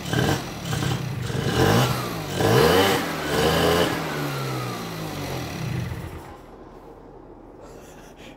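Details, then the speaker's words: Bosozoku project scooter two-stroke, not run in a long time, first start on fresh fuel after carburetor apart: revs up crisp and clean with lively crackle, then cuts out; carb likely needs tinkering, otherwise runs sweet. "but doesn't that sound sweet how good does that sound that sounds so sweet"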